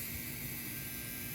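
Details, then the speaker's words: Brand-new Corsair RM1000x PSU with an RTX 4070 Ti, after a FurMark run caused a click and shutdown; the PSU now gives a loud coil-whine buzz with fan hiss and the system shuts down with a click. Replacing the PSU fixed it. "right here it's a crazy coil line that I will have to do something about it"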